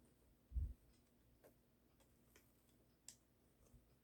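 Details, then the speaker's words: Gemmy Frankie the Fish animatronic after replacing a split head gear and jaw piece: faint, irregular light ticks from the small plastic gearbox; ordinary running noise, sounds smooth. "just note that Frankie the fish's gearbox may not be very may not be a very quiet Contraption very rare rarely you can get them to be quiet smooth sounds good"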